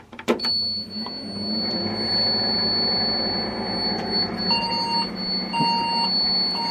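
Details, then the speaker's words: Old second-hand Saturn server tower case powered on: steady fan rush, thin high whine alarm and repeated beeps (possibly RAM beep code), plus loose rattle inside the case, not just the power supply fan. "i don't think that's just the power supply right fan rattling"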